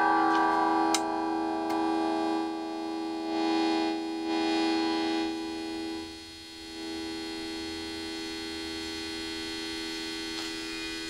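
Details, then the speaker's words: Newly built TrainWreck Express-type amp: constant buzzy hum with steady tones; buzz source unknown, builder suspects cable since unplugged it goes dead silent. "I don't know where the buzz is coming from. We'll see if we can find that."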